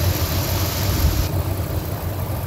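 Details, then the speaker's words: 1999 Ford F150, 5.4 V8, about 99,845 miles, retired over bad rust after the last highway drive; steady low even V8 rumble, no knock or miss; running good, normal running. "I was going to drive this like probably all next week and all the rest of this weekend you can hear it's running good"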